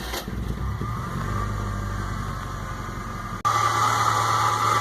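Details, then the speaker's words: 2001 Fiat Palio Fire 1.0 at idle, noise from front of engine: steady whirring whine constant at idle; first suspected water pump, but a shop found the AC compressor bearing worn, not the water pump. "levei uma oficina mecânica o defeito está aqui ó este aqui é o compressor do ar condicionado"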